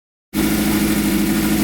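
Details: Rare 1983 Suzuki XN85 turbo motorcycle running for the first time in years after cleaning: engine catches and settles into a steady, even idle with no knocks; sounds healthy.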